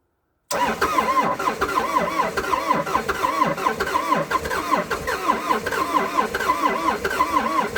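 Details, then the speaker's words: Old abandoned CAT excavator diesel, not run in months, cranking on a cold day with two new batteries and cleaned connections after earlier failed attempts: steady rhythmic cranking with a lumpy, uneven beat that never catches cleanly. Hard start. "i've been down here a few times now trying to fire this thing up and it just didn't want to play bottle"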